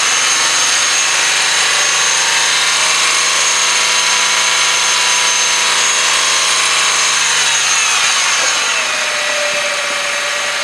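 Engine running with a steady high-pitched whine and faint chatter over it, the kind a worn pulley bearing makes; source not pinned down. Cause suspected, not confirmed.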